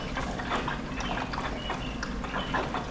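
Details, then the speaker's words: Chevrolet Corvette C7 Z06, being fixed for high IATs and MATs: coolant pump switched on to fill the rear tank, quiet pump hum under gurgling and trickling as coolant pushes through; no leaks, flow consistent, system filling normally. "no leak on this end no leaks on this end but you can hear it filling up"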